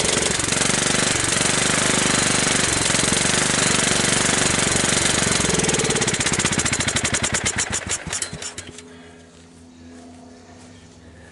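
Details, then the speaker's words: 17.5 hp Kohler riding mower engine, long stored outdoors and mouse-nested. After clean-up, blade clutch and belt removal and a carburetor cleaning, it fires and runs steady for about eight seconds, then sputters and dies as the bowl fuel runs out. "we go it starts and it runs well"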